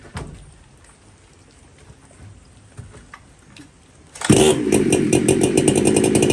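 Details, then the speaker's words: Chainsaw with dual port Walker muffler, high jet at 3/4 turn, low jet improved: quiet, then fires and holds a crisp, steady high-revving buzz without stumbling or surging. Normal, healthy running, though the high jet won't tune and a new carb is suggested. "Yeah. Sounds pretty good. Sounds healthy."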